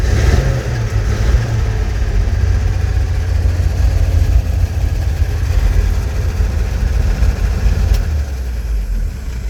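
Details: Old flatbed tow truck started for the first time, fuel poured down the carburetor and a hot battery fitted: low, steady engine rumble with slight rev changes, no knocks or misses; running fine.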